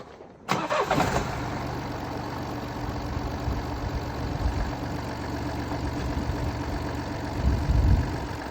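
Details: Mini Cooper D three-cylinder diesel cranks and catches, then settles into a rough idle with a loose, uneven rattle underneath from a broken dual mass flywheel, which holds the clutch springs and fails through wear and tear.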